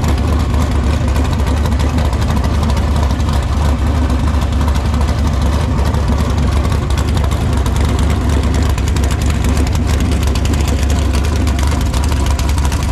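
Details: Tatum sand car with a big cam, deep choppy lumpy idle without knocks or metallic noises. It sounds healthy.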